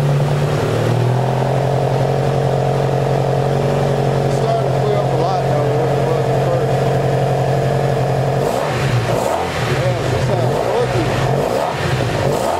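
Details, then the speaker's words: 1984 Honda Saber VF700S V4 after long storage, warmed up with the fan working: steady, even idle with a smooth low beat and no knocks or misses; running it through heat cycles to burn all that stuff out, with smoke far less than at first. "so i'll just keep running it letting it heat up cool off i think it's going to burn all that stuff out of there"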